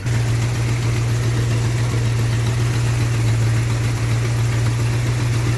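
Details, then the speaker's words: 1980 GMC truck V8 after installing a new MSD HEI distributor, timed to about 8 degrees: deep, steady idle, even and smooth with no misses or ticks. "That's about 8 degrees right there. That sounded really happy."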